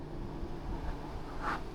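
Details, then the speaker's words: Hisense portable window air conditioner switched to quiet mode, fan on low, rated about 42 dB; soft, even low air rush, no rattles or surging; normal low fan speed. "Now, when it's going like this, you can push the quiet button there. Quiet."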